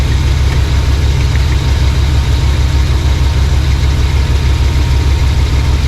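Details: Chevrolet Suburban V8 idling on a newly installed Evil Energy 600 CFM electric-choke carburetor, replacing an Edelbrock: deep, loping burble at an even rhythm, about three pulses a second, no stumble or miss, not smoking or smelling rich; clean, healthy idle.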